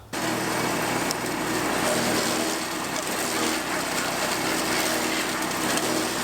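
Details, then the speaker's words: New POWERHORSE 420cc wood chipper, first use with fresh 30-weight oil, chipping branches up to about 2¾ inch: steady busy engine roar with no knocking or bogging; chips normally under load. "so i've got some little stuff here and then i've got one that's about two and three quarter inch and i'm just going to start with"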